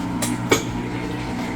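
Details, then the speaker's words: Amana washer after shift actuator replacement, in rinse-only calibration mode testing the actuator: steady low hum with two firm clunks a third of a second apart as it shifts, likely from agitate to spin; normal operation. "And we just heard that noise. Was it shifting over into spin from agitate?"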